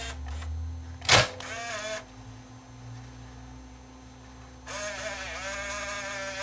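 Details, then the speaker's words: Panasonic PV11D Palmcoder VHS-C camcorder on external power supply during repair: short whirring motor run, a pause, then a second steady whir as the cassette mechanism loads the tape; normal tape loading. "now it sounds like that's loading the tape"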